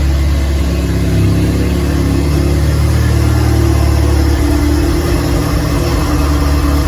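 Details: DF Goblin project car, first start with no exhaust fitted: a very loud, raw open-pipe bark rising and falling smoothly with light throttle blips, firing evenly without misses. Normal running.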